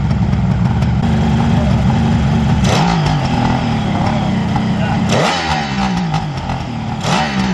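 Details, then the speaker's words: Freshly restored 1975 Kawasaki H2 750 two-stroke, first run after ignition checks and carb tuning, airbox off: crisp, even idle with clean throttle blips that rise and settle smoothly, no misfire or hesitation; normal running and revving. "Listen to that. Music, man. What do you think, Brent? I think it's awesome, Pete."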